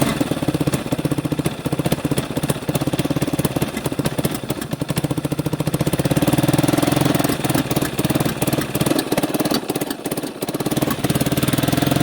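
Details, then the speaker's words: 1989 Yamaha Big Bear 350 single cylinder that sat 10+ years: it idles well with no knocking, possible exhaust leak; timing checked perfect and chain tight, yet a touch of throttle brings irregular backfiring pops and it dies; cause not yet found. "I can give her a touch of throttle. Then she starts backfiring and it will die."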